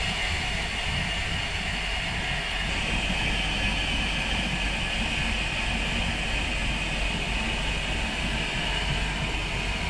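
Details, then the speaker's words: Boat starboard inboard engine after overheating fix and electric fuel pump replacement, low on fuel: slight struggle at start, then steady even drone with no misses or knocks; normal idle. "Sounds good. A little struggle out of the gate."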